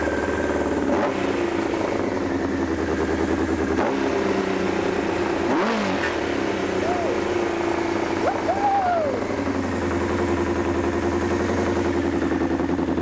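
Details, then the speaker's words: Honda CBR1000F that had been running on only three cylinders: after the fix it idles evenly and picks up cleanly on light blips, no misses or knocks, running smooth on all four until it starts running out of fuel. "oh starting to run out of fuel there wow that sounds perfect"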